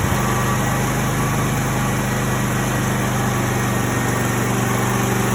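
Steady, even idle with a smooth low rumble and no knocks, misses or surging; the engine is running healthy.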